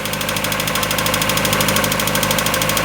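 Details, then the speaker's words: 1994 Mazda Miata just started after an exhaust manifold flange gasket replacement: light, quick, even ticking about three times a second over a steady idle, a hydraulic lifter noise expected to fade as oil pressure builds. "okay that lifter noise that'll go away in a second that is normal right"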